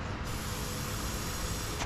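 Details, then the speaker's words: Kawasaki Vulcan 900 fuel tank vent hose, which had been clogged with carbon and white corrosion: a strong even rush of air blown through with no restriction; now clear, probably no longer building tank pressure. "You can see there was a lot of carbon buildup, and it was completely clogged with some kind of white corrosion looking stuff. But now you can see you can blow through that clearly as well."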